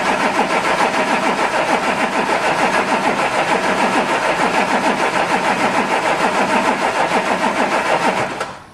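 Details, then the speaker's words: Audi A7 3.0 TDI with newly fitted brand-new engine, first turnover in neutral with a fuse pulled so no fuel: steady starter churn that never fires then stops, engine turning over without fuel. "I hate that noise um no fuel should turn over oils in car let's do it"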